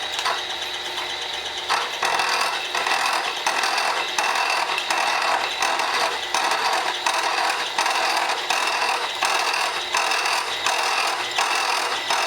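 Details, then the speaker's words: Portakey portable machining tool, cutter hand-fed slowly: rough rhythmic chatter over a harsh cutting rasp; suspected old spindle or holder not running true, not confirmed. "now you can hear that a bridge for it there I don't know if it's just an old spindle or what or how it holds it but it doesn't seem to run as true"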